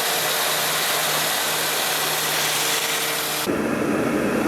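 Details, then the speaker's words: 2005 Toyota Matrix idling smoothly after a flashing check engine light and misfire suspected as an ignition problem were fixed by fitting used coils; faint even hum under fan hiss with no stumble, running normal. "See if it starts. Smooth as glass."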